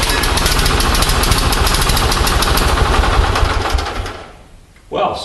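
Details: Onan 6.5 kW generator set on an experimental Arduino Uno ignition firing a Toyota coil-near-plug two-tower coil; engine chugs with uneven, lumpy pulses about three a second then fades out, with ignition timing jumping all over the place on the strobe.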